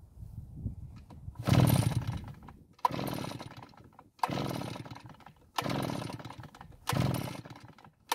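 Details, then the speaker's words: Almost-new Redmax EBZ8500 backpack blower with only a few hours on it, days after it quit: about six pull-start strokes, each a brief whirring rush, never fires; no-start, with a suspicion that the ignition has failed. "so it didn't even try and start now i have to wonder if the ignition system has somehow failed which would be pretty amazing with only a few hours on this engine"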